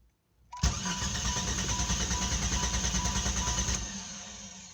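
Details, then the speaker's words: 1993 Jeep Grand Cherokee 4.0 with all sensors, distributor, plugs, wires and PCM replaced: the starter churns steadily for about three seconds but the engine never fires, then winds down; cranks but won't start. "nothing now it's not even starting how it used to start"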